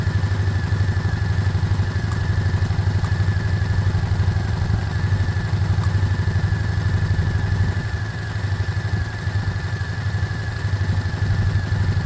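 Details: Small single-cylinder motorcycle from a project (Herald Classic 125, or possibly the Lexmoto Michigan) idling while warming up: a steady, even beat with no misses or knocks. It sounds healthy, a normal idle.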